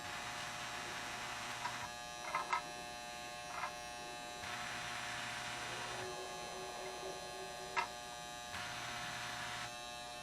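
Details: Postwar Lionel 027 operating barrel loader, reconditioned, with barrel car parked over the OTC track and control button pressed: steady electric buzz switching on and off in bursts with light clicks of barrels moving; normal operation.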